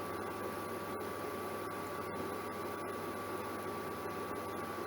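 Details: Germanica portable induction cooker on heating mode at full power boiling water: steady, even high-pitched coil hum with a faint thin whine, no buzzing or crackle; working normally.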